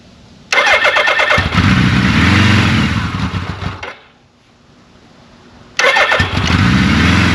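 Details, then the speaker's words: 1983 Suzuki GS1100E, 4,900 original miles, first start after years off with carbs back on, new battery and fluids: fires straight away into an even idle, cuts off and restarts cleanly with no knocks; slight smoke from residual oil. "that's awesome exactly what I want to hear there's a little bit of smoke you might see that's just from the residual oil burning off"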